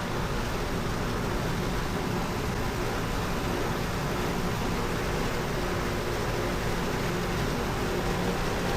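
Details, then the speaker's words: Dehumidifier after repair, following an unexplained pop: constant even whooshing hum, no knocking, rattling or cycling; coil getting cold and bottle ice cold, compressor and fan running normally. "Yeah, that's getting cold. Pretty sure it's working now."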